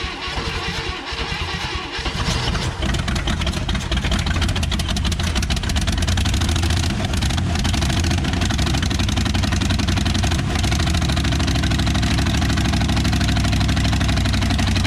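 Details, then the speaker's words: 1960 Chevrolet Impala, first run in 38 years after the fuel pump was hooked up: starter cranks, then the engine catches near two seconds and settles into a steady, fairly even idle with a deep rumble, running normally. "oh excuse me what do you say about that Mojo it's alive you're leaving now you know you don't want the carbon monoxide"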